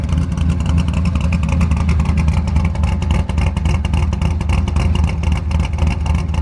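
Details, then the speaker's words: Ford F100 V8, fairly cold: deep rumble under load with a loose, uneven rattle from both exhaust hangers being broken, letting the pipe shake. "all the rattling you can hear is my exhaust hangers they're both broken but dang this thing sounds good"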